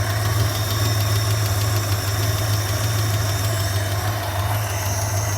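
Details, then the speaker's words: Tired 1976 Dodge Club Cab 318 V8 with low oil pressure and lifter tick, oil treatment circulating, at a lumpy uneven idle with an irregular knocking undertone about three beats a second; it runs rough, cause not confirmed. "Oh, yeah, man. That thing is not happy."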